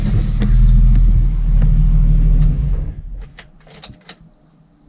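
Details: BMW E30 running with a smooth, even rumble and no knocks or misses, then shutting off cleanly before a restart test, after an ECU connector glitch was cleared by unplugging, blowing out and reconnecting it; sounds healthy.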